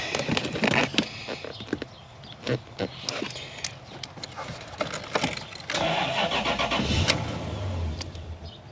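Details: 2013 Toyota Hilux with 3UZ V8 conversion, low battery, fuel pump being jumped; uneven starter cranking with faint clicks, then it catches and briefly runs with a low hum. Crank no-start, owner suspects fuel supply rather than crankshaft sensor.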